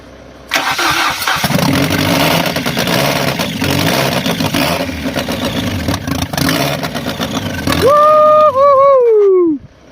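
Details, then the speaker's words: 1996 Fiat Bravo engine swapped into a 2004 Fiat Stilo, first start with no coolant, oil in, sketchy battery, engine cold: starter spins briefly, engine catches cleanly into a smooth steady idle without knocks, much quieter than the original engine. Normal start and idle. "Well guys, as you can hear, the engine sounds absolutely fantastic. Much quieter than the original engine."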